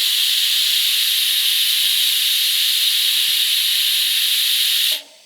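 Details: ARCCAPTAIN 200P AC/DC TIG on a scrap flange, no heat sink: clean fast strike, smooth even high hiss without crackle for five seconds, then clean cutoff; stable TIG arc.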